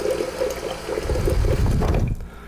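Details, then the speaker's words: Refrigerator water dispenser after fixing the new-filter hammering by wedging a folded paper towel behind the slightly short replacement filter: smooth, even pour into a jar, no hammering; good water pressure restored. "Look at that. No more hammering sound. Getting nice water pressure."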